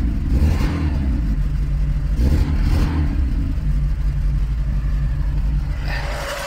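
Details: Lada Niva 1.7 running after a no-start problem. It holds a steady low rumble, picks up on a couple of blips, then settles back to an even idle.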